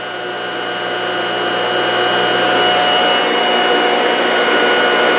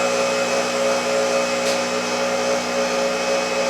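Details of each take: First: Lab-tested generator: steady rising hum with a bright whine from the windings; bearings are really quiet, the noise comes from the stator. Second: Motor that can turn a small generator, running with no load after an easy restart: steady even high-pitched hum at constant speed, no roughness or surging; smooth, quiet running.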